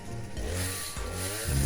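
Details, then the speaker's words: Two-stroke petrol brush cutter/strimmer unused for a few years, after its dirty fuel tank was cleaned, run for a couple of minutes: steady buzz with pitch lifting and settling on the throttle, never stumbling or cutting out; running normally. "as you can see here, it seems to be running fine without cutting out."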